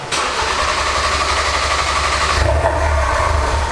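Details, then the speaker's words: Ford Focus RS during fuel filter change, fuel pump unplugged to purge lines: engine catches at once and runs roughly, then drops and stumbles after two seconds as it starves of fuel and dies. "And it's gonna die again. Crank it again. Okay, good. That's it. That's good. So now that it will not start because there's no fuel going in now because I have it unplugged."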